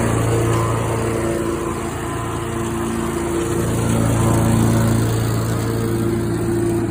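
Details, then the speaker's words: Skag mower with the safety tied down, blades engaged, recorded for comparison with a Lesco mower that has an odd blade noise: steady engine drone with a smooth even blade hum and no knocks or grinding; normal running. "you hear it sounds normal like a mower would"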